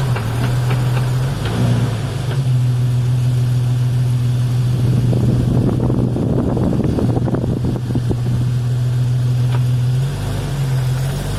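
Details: Drivetrain clunk on a road drive, just under 4 clunks per tire rotation, pointing between transmission output and differential inputs; all U-joints replaced, front driveshaft removed, noise persisted but quieter with rear driveshaft out; engine drone with faint repeated knocks under load.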